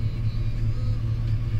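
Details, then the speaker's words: GM Gen V engine swap, idling after a throttle body airflow relearn done with a scanner, with timing up from about −20 degrees toward the desired 10. A deep, steady, even rumble with no stumble: a normal idle after the fix. "I am doing this right now so my field terms are just a little bit off but it sounds completely different"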